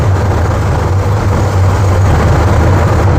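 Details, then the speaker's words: 1967 GMC C15 at idle, carburetor tuned very rich: a deep, uneven, lumpy pulse of about four beats a second from an intake manifold vacuum leak; spraying the leak makes the engine nearly die. "there's a leak right down there in the manifold and if I spray it"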